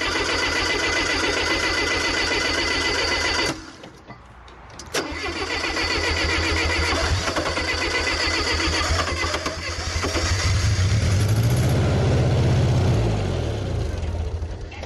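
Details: Bobcat skid steer, $300 machine run five years without oil changes: catches after a brief stumble, then lumpy uneven idle rising under throttle; running on three cylinders, distributor reluctor needs replacing.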